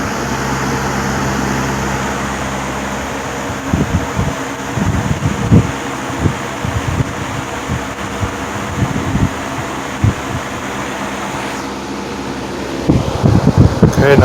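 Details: 1950s Wizard reversible box fan after spring cleaning and service, test run on high speed: steady low motor hum with some gusty thumps and handling near the end; healthy, smooth-running motor.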